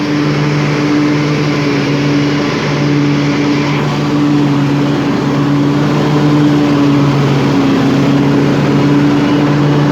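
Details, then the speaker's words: 1998 Craftsman DLT hydrostatic lawn tractor with a 46" deck and 16.5 hp Kohler Command single-cylinder engine, 22 years old, freshly tuned with a new fuel pump and rebuilt carburetor. At full throttle it gives a loud, steady drone with constant pitch and no misses or knocks; it runs smooth with plenty of power. "so as you can hear it has plenty of power runs smooth throttle it all the way down if you need to walk away from the machine"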